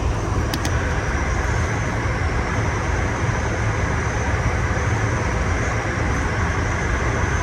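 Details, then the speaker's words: York chilled water air handler, 460 volt supply, fan running after repair of a loud intermittent noise (one bad bearing, missing and broken bolts); steady even roar, low hum, faint whistle, no knocking, squeal or grinding; noticeably quieter, normal running. "460 volt, 12 and a half. Looks good. Yeah, it definitely sounds quieter."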